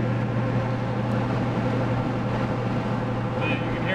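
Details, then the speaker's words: Ford F350 OBS 7.3 Powerstroke on Mickey Thompson Deegan 38 mud-terrain tires at about 72 mph on the highway, window down: steady low droning hum, the normal road roar of these tires; quieter with window up. "huming pretty good with the window [Music] down take the window up and you can hold a somewhat decent conversation with somebody without yelling like you're a Tiner or something"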